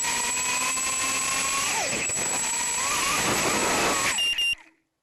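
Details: Mobius Mini camera on a 130 quad with 1104 4000KV brushless motors, RX2535 props and 450mAh 80C battery: high-pitched whine rising and falling with throttle, with a rough, gritty edge from a bad bearing in one motor.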